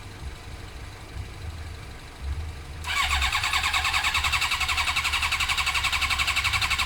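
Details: Suzuki GSXR 600 carbureted bike, starter spins the engine at about four beats a second but it never fires despite carb spray: no spark. It was fixed by fitting an original ignition unit containing the resistor.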